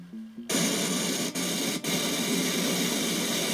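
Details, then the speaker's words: Faulty eBay SNK Neo Geo AES with Universe BIOS and badly rewired BIOS chip, game running: loud harsh hiss and static with brief dropouts; garbled audio needing attention, cause not found. "So obviously the sound is going to need some attention, but I mean, I'm just very happy that this thing is even working at all, let alone, I mean, playing the game."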